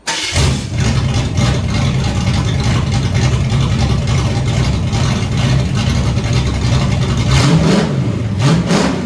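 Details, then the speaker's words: Foxbody Mustang, just shut off and restarted warm after sitting: deep, steady, smooth rumble, climbs cleanly on a couple of throttle blips and settles back; engine sounds healthy, good build. "okay so car sounds killer can't deny that rev's good it's a good build"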